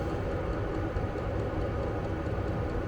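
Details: Vevor diesel air heater in a Fiat Ducato van, app showing room 20°C, level 10, combustion chamber 277°C, 100 m altitude: steady even roar, faint constant fan hum, no surging, popping or stumbling; normal running.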